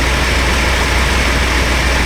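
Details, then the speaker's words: 1996 Chevy Astro van V6 idling in closed loop after replacement of a leaking spider injector, possibly slightly rich while old fuel clears: a smooth, even low hum with no ticking, missing or hunting. Skipping and bucking gone; normal idle. "She's probably going to be a little on the fat side for a minute. Get the old gas cleaned out of her. Not too bad, I was expecting a lot worse."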